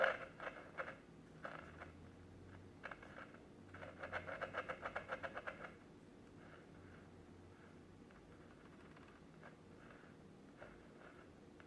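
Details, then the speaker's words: National Panasonic R8 mid-1960s micro tabletop transistor radio, 6 transistors, on 3 AA batteries, first power-up: faint scratchy crackles in bursts from a dirty volume control, no station from the tuner; cleaning the control planned next. "I don't hear anything but noise from the volume control. There's nothing coming in from the tuner, just."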